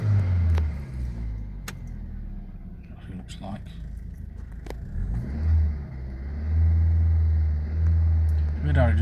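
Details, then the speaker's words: Ford Zetec engine after valve work, held near 2,000 rpm; revs surge and sag unevenly, bouncing instead of a smooth transition; rpm hunting when revved, cause unknown. "does that sort of revving sound when you get it up to 2,000 RP. It bounces about like a Formula 1 car."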